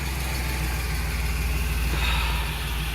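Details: 2008 Express after engine swap, first start: steady idle with a sharp regular snapping tick; a spark plug wire arcing, traced to cylinder six.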